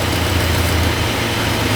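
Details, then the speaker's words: 1966 Chrysler V8 after engine reassembly, just started after a vacuum line was pulled and plugged: steady, even low rumble at idle with no misses or knocks; smooth, healthy normal idle. "instantly runs this is run nice you guys I'm glad we decided to pull that vacum yeah because oh she's quite a happy camper now"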